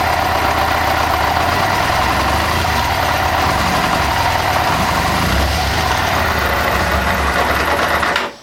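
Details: 1998 Kawasaki ZX6R inline-four after valve adjustment, idling with a fast light ticking over the clatter, seemingly from the rear under the fuel tank, not the cam chain area; cause not found.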